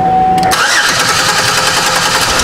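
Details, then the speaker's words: 2005 Chevy Equinox 3.4L cranking during a spark test on the waste-spark coil: a start tone, then a steady, fast cranking rhythm that never catches; spark and fuel pressure are good, and the main relay is not powering the injectors. "we have spark there is no reason to check the rest of these just simply because the car isn't even trying to start"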